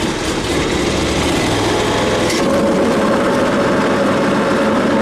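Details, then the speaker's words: Ferris mower after blade replacement and clearing built-up debris from deck: loud steady engine with even blade whir, no thumping or scraping, slight drag remaining; fan noise sounds better. "think it's better. I heard that fan noise. It sounded a lot better."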